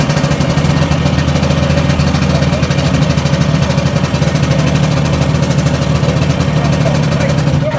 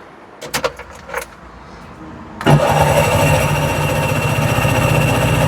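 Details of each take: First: Two-stroke tuk-tuk after replacing the burnt starter relay with an Audi one and reattaching a loose carb vacuum pipe: steady, even low putter holding several seconds before fading; starting reliably now, though carb may need tickover adjustment. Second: Carburetted tuk-tuk after freeing a stuck fuel tap valve: after a few clicks and rattles the starter cranks steadily at a quick, even chug but the engine never fires; carburettor looks clean inside.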